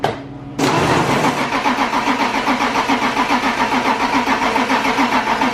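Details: BMW E36 328i, 5-speed, abandoned over five years; cranks at a steady rhythm about five seconds on ether/brake cleaner without catching. Retried with throttle body open, it starts, confirming fuel delivery as the no-start cause.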